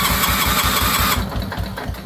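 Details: 1973 Wheel Horse lawn tractor, 10 hp rebuilt Kohler, rebuilt fuel pump, new points and condenser, cold weather, choke closed: strong, even cranking with steady compression pulses that never catch and fade away; cranks but won't fire.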